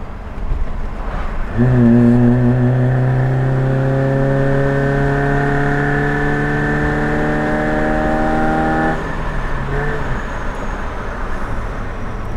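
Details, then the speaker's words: Suzuki Jimny on a road test after exhaust work, with exhaust paste on the joint: the engine pulls up cleanly with an even note, no blowing or rattles. Finding: normal exhaust note. "apart from that I suppose it sounds normal but what it still sounds good is"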